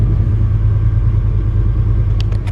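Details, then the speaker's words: 1965 Chevrolet C10 Fleetside, high-performance small-block (previous owner says 355 or 383 stroker) with a Holley double-pumper carb, cold start at about 38°F: deep, steady V8 rumble with no knocks or misses; normal cold idle. "it's got a holley double pumper carb and they can be a little cantankerous about warming up so I'm saying that because it cranks right up a couple taps the gas"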